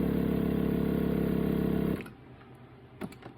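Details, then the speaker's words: 1985 Honda Gold Wing GL1200 air-ride suspension compressor, run via the front/rear increase buttons: even fast buzzing pump pulses about four per second, then a clean stop with no strain; the compressor works and the system holds pressure. "Front, rear, if you hold those and push the increase or decrease buttons, it does work, which is awesome. A lot of the times these are broke, so you can hear that."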